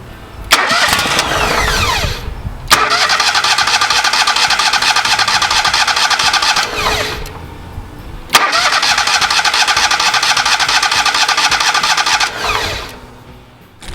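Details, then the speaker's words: Kohler EFI small engine after an aftermarket high-pressure fuel pump swap: two long cranking bursts with an even starter chug that never catch; no fuel delivery because the pump fell out of place, lacking the original's sock to hold it in. "So when I took it apart, the pump had actually fell out, because that little bump on the bottom helps hold the pump in."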